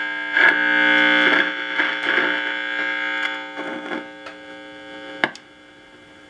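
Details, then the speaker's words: 1965 Nordmende Transita Automatic AM/FM/shortwave radio with noise on every band; signal tracer on one side of diode D6 in the FM detector AFC circuit gives harsh crackling hiss bursts over steady mains hum; noisy diode, to be checked or substituted. "that diode is very noisy on one side so maybe I'll take that diode out and and check it or substitute another one"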